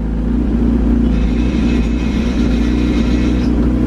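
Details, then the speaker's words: Honda CRX AWD swap with twin-disc clutch: engine pulling steadily with a light, uneven chatter riding over it, heard only with the clutch pedal pressed; owner attributes it to the twin-disc clutch but also suspects a loose motor mount. "so I was reading some of the comments and you guys were saying that you'd be annoyed of the rattling which is actually my twin disc that ei t5 start [Music] so that rattling you you'd only hear it when I'm stepping on my clutch"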